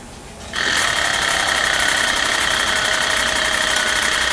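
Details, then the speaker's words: Early 2004 Ford Excursion 6.0 Powerstroke diesel, sat a while, towed in for no start; starter churns with uneven compression pulses, no fire; rough cranking, blown head gasket suspected, coolant-in-oil check planned. "you'll want it to sound smooth when it's cranking over otherwise if it's got a dip or a changeing RPM it might have a dead cylinder or a blown blown head gasket"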